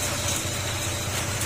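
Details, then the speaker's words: Honda PCX160 after engine overhaul for cricket-like chirping noise (damaged crankshaft and cylinder block), reassembled with oil and sensors, panels off: smooth steady idle, no chirping or ticking; noise gone, engine normal. "Yan, walang tunog oh. Yan, tahimik na."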